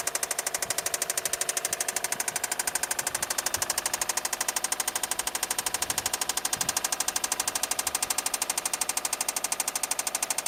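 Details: 2008 (MY09) Subaru Forester engine running: sharp, evenly spaced metallic knock over the engine, rod knock from big end bearing failure.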